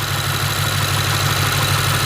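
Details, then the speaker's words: BMW V8 after repair of a misfire with drivetrain malfunction warning: even, steady idle, smooth low hum, no stumble or skipped beats; misfire gone, engine running clean on all cylinders. "so the engine sounds completely different now the misfire went away you can clearly hear it"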